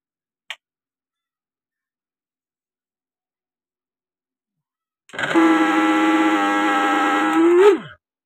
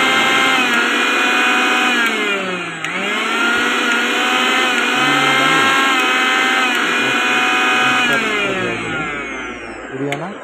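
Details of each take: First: V-Guard mixer grinder before repair: motor runs up to a loud, harsh, steady buzzing whine for about three seconds then winds down; excessive noise from worn motor bush. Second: V-Guard mixer grinder after motor bush replacement, washers fitted and oil added: high-pitched motor whine holding steady with slight dip, no rattle or harsh scraping; runs smoothly, the earlier harsh noise is gone.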